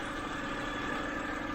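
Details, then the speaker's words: 2007 BMW 328i E90 after replacing electric water pump and thermostat, hot engine near 195.8 degrees: smooth even idle hum, steady low drone, no knocks, misses or whine; running normally, not overheating. "it's running good sounds good 195.8 if i remember correctly i think i think overheating would be 240 i think but i think i'm okay at 220."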